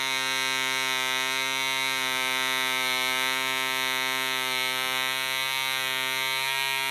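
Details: DC Spitfire 1cc model diesel on an 8x4 prop, D2000 fuel: high buzzing whine wavers slightly in pitch, uneven running as the loose needle valve rotates with vibration and the compression screw winds itself out.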